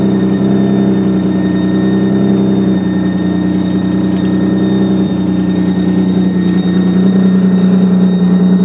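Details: 2003 Nissan 350Z, replacement engine with 75,000 miles, noise began after radiator replacement: at raised revs a thin steady high-pitched screech over a deep hum, fading as rpm drops; owner notes oil pressure gauge reading.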